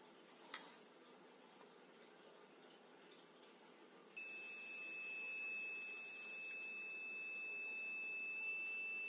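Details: Open Radiation Detector version 0.9: quiet room, then a shrill constant high buzzer tone switches on and never shuts off; buzzer fails to turn off, fixed in version 1.0.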